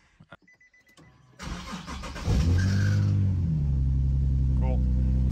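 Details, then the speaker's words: Nissan 370Z starting after a new fuel pump install and priming: brief cranking, then it catches cleanly into a steady, even idle with no misfire. Healthy start. "it's yeah it's firing up and now I just heard liquid go into the surge tank so yeah"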